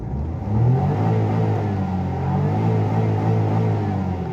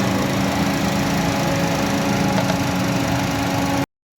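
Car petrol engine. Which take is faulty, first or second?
second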